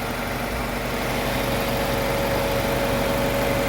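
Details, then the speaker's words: Mazda 323 Familia with B6 twin-cam four-cylinder, first start in 5 years, cold: steady even purring idle with faint whistle, no misfire or tapping; normal idle. "It actually appears to be running bloody awesome."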